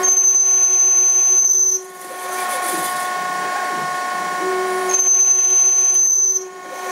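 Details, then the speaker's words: Denford ORAC CNC lathe with its original G&M code control turning a 20mm radius end on a 6082T6 aluminium bar: a steady spindle whistle with a low rough stepper growl as the tool sweeps the radius. Normal stepper motor growl. "there's no cutting the radius you'll hear the step is growling a bit that's the program"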